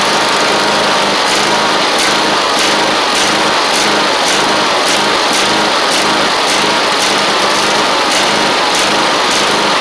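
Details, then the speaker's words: Husqvarna 54in zero-turn with Kohler engine, jump-started with new ignition switch; it had kicked back and stayed cranking even after a new starter solenoid: rhythmic chugging pulses about every two-thirds of a second, struggling to fire. "guys, this thing was doing some weird stuff whenever I was trying to crank it and start it. And one of the things it was trying to do was stay like cranking all of the time for some reason."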